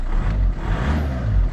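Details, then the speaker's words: VW Touran with turbo engine, light throttle blips after an oil change (5W30, new filter), hood open; revs rise and fall cleanly with no knocks, rattles or whine; it started better than before, when it juddered. Normal revving. "Donc là on attend. On accélère un petit peu. Parfait."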